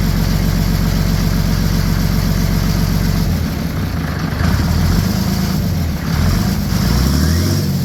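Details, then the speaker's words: OM603 Mercedes diesel swapped into a Ford Ranger (Doomsday Diesel adapter, Ford ZF5), first start, warming up, with good oil pressure: deep, steady idle clatter with an even rhythm, no misses or knocks; normal idle. "all all right that'll do it for this video we got her all running everything's good"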